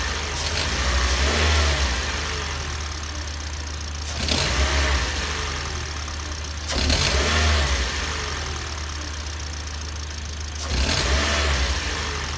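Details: Toyota Yaris engine blipped four times from idle, each rev rising then falling, with a hiss and light rattle on the revs; accessory-drive noise, drive belt tensioner suspected and replaced.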